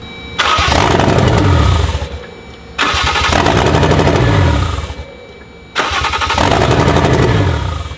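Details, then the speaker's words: Lexus IS300 with a 1JZ-GTE swap, started by feeding 12 volts to the starter trigger wire: three tries where it catches, runs rough for a second or two, then dies; suspected loss of ignition or fuel. "it's running for a couple seconds kind of sounds like crap and it's just dying"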